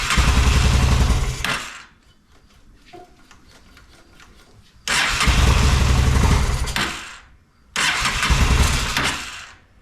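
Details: Honda Shadow motorcycle (possibly 650) that sat almost a decade, old bad gas, on choke with fuel sprayed in: roars to life a few seconds, fades and dies, three times; stalls without spray, clogged carburetor.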